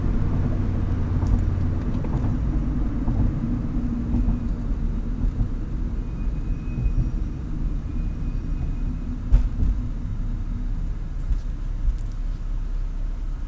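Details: Low, uneven idle rumble that wavers now and then, a rough idle. The owner says it has improved but still acts up at times and suspects a vacuum leak, which is unconfirmed.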